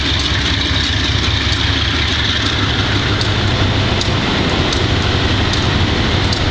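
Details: Wimpy MTL B30-7 diesel locomotive running with an irregular, lumpy beat and sharp ticks about every second, a misfire from bad injectors. The air intake and some injectors were changed and the valves checked.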